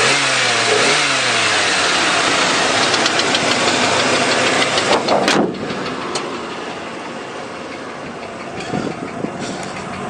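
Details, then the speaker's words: Truck with 197,000 miles, cold start then warming: sharp, even tapping about three times a second on the idle, like a small ball-peen hammer on the intake or valve cover top, unchanged cold or warm; no smoking; engine ticking at idle. "it doesn't get any louder when it's cold or warm it doesn't get any quieter doesn't change uh sounds it's a loud you know it's kind of like if you had a small ball-peen hammer and you're kind of hitting it on the top of the intake is kind of the sound it makes or the top of the valve cover"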